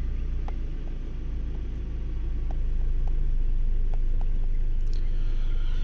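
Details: 2002 Toyota RAV4 after its seized engine was replaced with a used engine: steady, even low idle with a smooth rumble and no misfire stumble; engine settles and runs cleanly; normal idle.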